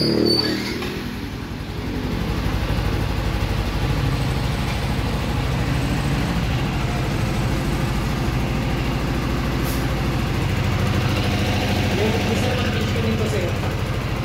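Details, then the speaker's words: 2023 Yamaha Sniper 155R, about five months old, idling: fast chattering rattle over exhaust beat, quieter when cold, louder as it warms; suspected clutch damper fault, not confirmed. "yung pag uminit na siya palakas ng palakas habang nainit yung tunog niya"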